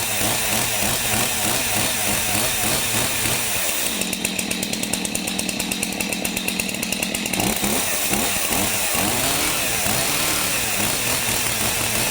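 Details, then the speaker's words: Stihl MS 251 chainsaw that had bees inside, first pulls after fitting a new pull cord. Idles, then screams to a high, steady buzz and drops back cleanly; it fires and runs strongly. "Whoa, she fired. That's surprising. Fired."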